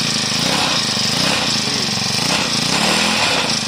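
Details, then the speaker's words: 4-stroke grass trimmer engine after valve clearance adjustment (tight valves caused low compression, stalling and no idle when hot): starts, buzzes smoothly and revs cleanly with no misses or tapping; normal running. "ติดแล้วนะครับนี่คืออาการวาล์วยันนะครับแต่ถ้าวาล์วปกติมันก็ไม่มีปัญหานะครับโอคเดินเบาได้นะเร่ง"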